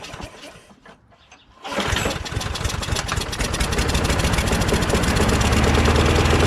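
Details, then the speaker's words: John Deere JS26 mower with a Briggs Quantum engine, after the carburetor clean and carb spray: a few weak pulls, then it catches and settles into a quick, even chatter. The owner believes combustion blew the remaining water out the muffler, and it now runs properly. "there was still probably a little bit of water maybe inside the intake manifold area but then once we shot some lube in there um some carb spray in there it ignited eventually right and then the combustion blew the remaining moisture out the muffler so now it should be"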